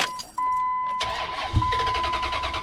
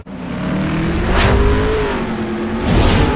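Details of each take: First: 2004 Dodge Ram 1500 5.7L Hemi, 170,010 miles, spat and sputtered then wouldn't start: fuel pump whines priming on key-on, then cranking and a brief catch that dies out; pump primes but can't supply enough fuel, crank no-start. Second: 2004 Dodge Ram 1500 with 5.7L Hemi, just after fuel pump replacement: deep, steady V8 rumble swelling smoothly with a couple of revs and settling back, no stumble; normal running.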